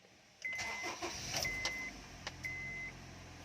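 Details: 2010 Honda CR-V after fixing a crank-but-no-start fault: engine catches promptly and settles into an even idle while the dash chime keeps beeping; a clean, healthy start.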